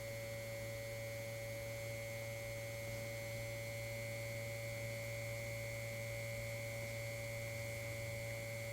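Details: 1952 GM Guide Autronic-Eye vacuum-tube headlight dimmer on a bench supply, vibrator power supply reaching about 121 V with no load: even, unbroken buzzing hum with a bright steady whine. Normal vibrator supply hum.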